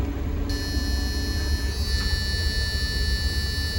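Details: Caterpillar 3126B diesel, 92,000 miles, in a 2000 Holiday Rambler Endeavor RV, just started cold after oil pump and bearing replacement for low oil pressure. Deep steady idle rumble with a faint electrical whine, no knocking. Oil pressure highest ever seen.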